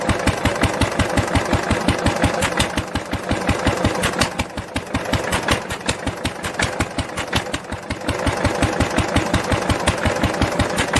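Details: 1946 International LBBR 3-5 hp hopper-cooled engine off a hay press, with a homemade glasspack muffler fitted: crisp, even exhaust pops about four a second, briefly thinning as it skips fires, then picking back up; normal running.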